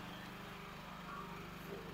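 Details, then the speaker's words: Alen inverter generator with eco mode, running outside the house and heard from indoors with the door closed: low, steady, distant hum with an even note and no surging or misfire. It is almost inaudible; open-pipe units are noisier. It uses 600 ml per hour. "Ayan, umaandar po yung generator, naririnig ninyo. Sasarado ko lang po yung pinto. Wala na po kayo halos madinig pagka nasa labas po siya."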